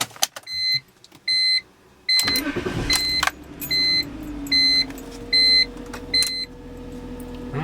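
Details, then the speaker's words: BMW E46 petrol six, about 169,000 miles, after ignition coil pack replacement for a misfire: warning chime pings as it cranks, catches quickly and settles to an even, smoother idle; check engine light still on. "like you can tell it's running a little bit smoother for sure"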